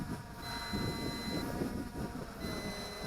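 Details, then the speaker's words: MJX Bugs 20 EIS drone at the end of its flight: long, high-pitched beeps about a second each over wind noise, its low-battery warning before it lands itself where it is. "The long beeps means I don't got any more battery power to fly anymore."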